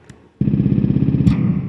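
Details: DIY synthesizer based on a simple oscillator circuit: buzzy tone starts cleanly, then a sharp pop as the mute button is released; switching transient, not yet fixed.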